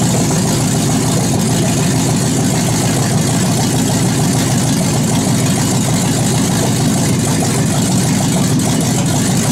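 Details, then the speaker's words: 2001 Chevy Suburban V8 at first start-up after cylinder head rebuild and reinstall: even, steady low rumble idle with no knocks, ticks or stumbles; runs smooth and tight. "you shove right off it sound pretty tight not too shabby for old Chevy"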